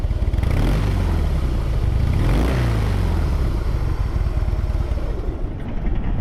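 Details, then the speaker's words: Used 2015 Harley-Davidson Heritage Softail Classic FLSTC with ABS at 12,705 miles, after a certified pre-owned inspection: a deep, even V-twin idle with a steady loping beat, smooth and quiet, with no ticks, knocks or clatter. "Engine's real smooth, nice and quiet, no strange noises."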